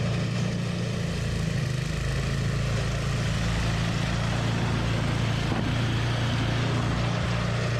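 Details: Toro 521 snowblower running after replacing a blown drive belt with a tight, well-fitting new one. Steady, even single-cylinder drone, no knocks, squeals or slipping noises throughout; running smoothly after repair.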